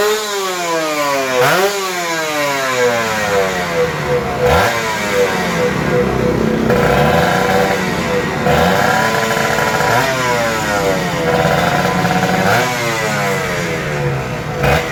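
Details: Kawasaki Ninja RR 150 two-stroke after service: before, it pulled weakly, stuttered, the KIPS stuck at some rpm and fell slowly, and the throttle hung. The carb throttle slide was sanded smooth. Now revs climb and drop cleanly through several blips with no stumble.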